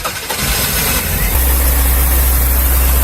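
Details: 1987 Toyota MR2 (AW11) 4AGE engine after years of neglect, new spark plugs, timing adjusted: cranks and fires into a heavy, lumpy, uneven idle; worn engine, compression test shows low compression.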